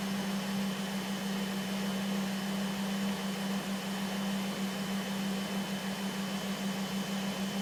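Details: 2005 Volvo S40 T5 with a blinking MIL: a steady high whine holds one pitch over an even-running engine with no knocks. Whining noise, cause not yet pinned down.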